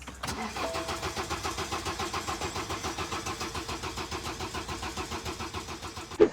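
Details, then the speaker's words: 2009 BMW 118d diesel, broken down before eBay sale: steady cranking about six compression pulses a second for six seconds, never catches; cranks, won't start; owner suspects cylinder 2 injector fault, not confirmed. "I've just texted him say mate the car's not starting and I sent him a video of it not starting key in not starting"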